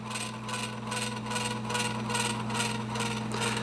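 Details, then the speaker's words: Edison Amberola 1A spring-wound cylinder phonograph mechanism, brake released and governor running slower after speed adjustment: steady mid-pitched whine with a soft regular beat from the brass gear meshing with the fast pinion gear; normal gear mesh. "you can hear the whine of the motor and what that whine noise is is actually this brass Gear meshing with the pinion gear"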